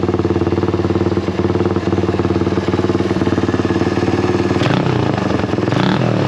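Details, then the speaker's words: Honda XL175 single-cylinder motorcycle after fitting a new eBay replacement muffler, at idle with a couple of blips: steady popping, about four pulses a second, deeper different tone but not much quieter; normal exhaust note. "you know like i said i didn't think it was going to be that much quieter it's kind of a different uh deeper sound i wish it was a little bit quieter"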